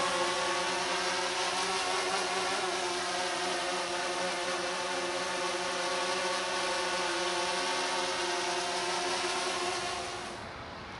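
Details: DJI Phantom 3 hovering at 8–10 feet outdoors, filmed for noise comparison with Phantom 4: even, steady propeller buzz with constant high whir, no wobble or rasp; normal hover.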